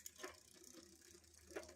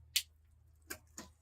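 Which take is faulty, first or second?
first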